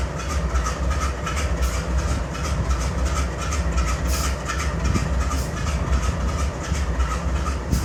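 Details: GE C44-9W (Dash-9) locomotive BNSF 5144 idling while keeping air up on a grain train: a heavy, lumpy diesel beat stumbling about once a second, with an audible cylinder misfire and excessive smoke.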